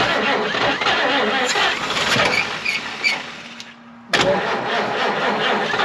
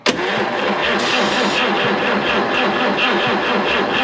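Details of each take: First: 1953 Chevrolet 210 barn find with new-old-stock AC Delco plugs on hand, no other tune-up: uneven cranking for a few seconds, short quiet gap, then it catches and keeps running. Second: 1953 Chevrolet 210 barn find with dirty fuel and points set very tight, cranked with throttle held open: even rapid starter churn with no firing; spark being checked, cause not confirmed: crank no start.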